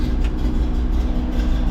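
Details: 1985 Chevy C10 with a mechanical fuel pump, after a new dual-tank selector valve, sending units and fuel lines were installed, switched to the right tank: a steady low rumble with no stumble or surging; a normal, healthy idle.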